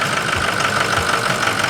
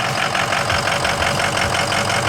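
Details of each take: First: Ford 6.0 Power Stroke diesel just restarted after repair; lumpy, irregular knock with hiss and a little smoke as air remains in the high-pressure oil system, left to settle; rough idle from air in high-pressure oil. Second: Ford 6.0 Power Stroke diesel after repair, cylinder 5 misfire gone per power balance test; even, crisp, regular diesel clatter at idle, consistent beat, no skipping or dropped cylinder; normal idle.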